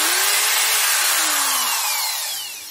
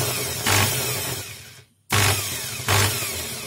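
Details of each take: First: Corded PROTON D600 screwdriver after repair, rotor bearing screws tightened and weak housing part glued with sealant: clean high motor whine coasting down smoothly, no rattle or buzz. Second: Corded PROTON screwdriver with case open, motor run in short bursts: harsh uneven buzzing rattle over the whine; rotor bearing is loose in its seat and the shaft turns with the outer race.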